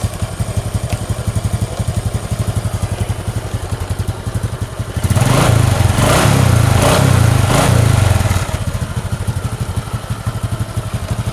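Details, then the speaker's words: Honda Supra X 125 after engine rebuild for rough piston-and-block ticking noise: even single-cylinder idle and smooth rev blip, no ticking or rattle; connecting rod about 70% remaining but silent. "Oke Guys Inilah hasilnya guys yang seperti kami bilang kemarin itu bahwa setang sehernya itu tidak bunyi meskipun setang seernya itu masih sekitar e 70% lagi guys"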